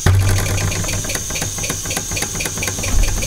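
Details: Old small model steam engine, not run in about 20 years, just come up to pressure: quick even chuffing beats at a steady rate with no knocks or misses; normal running.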